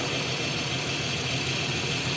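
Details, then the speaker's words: 1993 Jeep Cherokee 4.0 High Output, sat 15 years, first run with water added as coolant: steady, even idle with no knocks or misses under strong bubbling-coolant hiss and fan. Normal idle. "well well it's running and it runs pretty good surprisingly"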